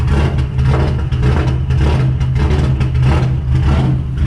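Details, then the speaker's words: Subaru rally car with a new built EJ257 2.5L engine, start after cam break-in, thermostat cycled and coolant pressurized, not yet tuned. It starts right up into a deep, lumpy, loping idle that settles evenly, with no check engine lights. "turn the ignition on starts right up it sounds really good"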